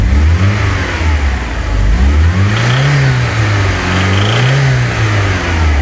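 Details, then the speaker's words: VW Golf GTI Mk2 16-valve, inspected when buying: engine revved repeatedly with a rough, gravelly undertone high in the rev range, suspected bottom-end bearing noise. "Listen to this noise and tell me what you think to this noise. It sounds like a bearing noise. Is it normal? Is it It's like high in the rev. Listen to high in the rev range."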